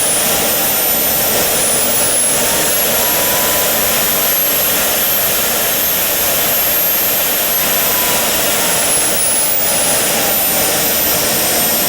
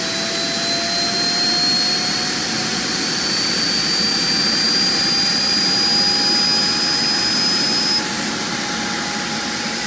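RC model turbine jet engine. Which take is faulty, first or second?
second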